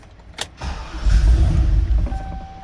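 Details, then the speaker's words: 2003 Chevrolet Silverado 2500HD that left the owner stranded; starter cranks, the engine catches for about a second and dies right out, then a chime; fuel starvation from a fuel pump wiring fault. "it cranks over and dies right out"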